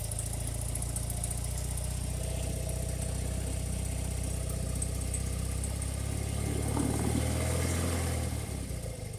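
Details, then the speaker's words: 1984 BMW R80RT airhead twin, warmed up, after cleaning rust from Bing carburetor float bowls and fixing float leak; steady, even low thumping at relaxed idle, no misses or stumbles, sounds much better: normal warm idle. "But it's got a lacking gas cap on there now. Sounds a lot better, really."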